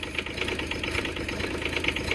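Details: Develon DX10/E10 mini digger diesel just started cold after sitting a long time: uneven lumpy clatter with a wavering tick on top, not settling smoothly, oil later found leaking from a loose pipe; rough idle.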